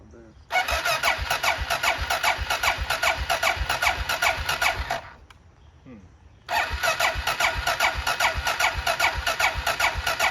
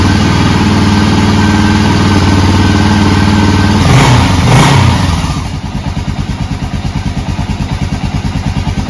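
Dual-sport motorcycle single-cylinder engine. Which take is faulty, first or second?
first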